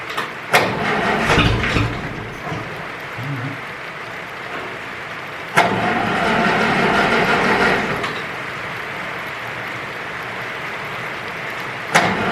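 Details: Ferguson 20 petrol/TVO tractor, sat 10–15 years, leaking coolant from hoses: catches after a sharp start, then settles into a rough, uneven idle with a steady mid-pitched beat; starts and idles.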